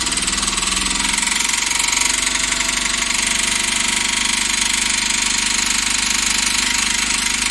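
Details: Engine that developed a sudden noise during highway driving: steady running with a sharp, tinny tapping (コンコン) about two to three per second; suspected bearing (metal) failure.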